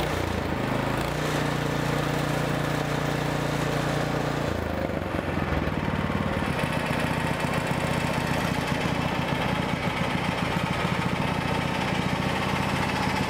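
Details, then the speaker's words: Small engine, same carburetor type as the Toro snowblower, after the small carburetor jet was enlarged to cure surging: starts and runs at a smooth, even speed with no rise and fall and no light pulsing; normal idle. "i'm going to start it up and you will see that there will be no surging and you will not see the light pulsate"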